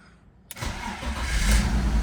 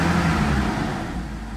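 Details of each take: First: 2001 BMW E46 330ci convertible, 165,904 miles, first start after auction purchase with low coolant light on: brief crank catches at once into steady low rumble, clean start; check engine and DSC lights on, vacuum leaks suspected. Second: 2001 BMW E46 330ci convertible, bought sight unseen, warming up toward 10: heavy low roar over the engine,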